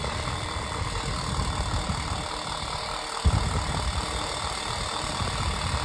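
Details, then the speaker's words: Unbranded 7-inch desk fan with rattling bearings, just oiled: fast, steady whoosh of air with an even tone, loud, no squeal or scraping; normal fan running. "Oh, I didn't even I didn't know this was going to run this fast. It's pretty powerful, but it's loud."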